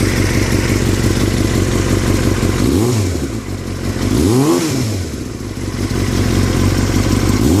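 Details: 2003 Yamaha R6 revving up and down, rattling since a recent trip to Europe: loose, uneven clatter over the exhaust note; owner unsure if normal or if performance is affected; engine rattle of unknown origin.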